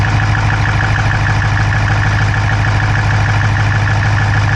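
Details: Dodge Charger Hemi V8 at steady idle, recorded inside the driver's-side engine bay: a fast, light top-end tick at roughly two per second. No exhaust smoke, so the owner doubts a dropped valve; cause unconfirmed.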